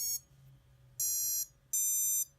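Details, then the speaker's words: FPV quad on Betaflight 3.5.7 with a disarmed transmitter: three high ESC startup beeps play unprompted; a motor also spins up by itself and the quad fell from the sky; owner suspects the motor or ESC, cause unconfirmed. "And did you hear the arming tone again? I have not touched the radio. The radio is still on, but it is not armed."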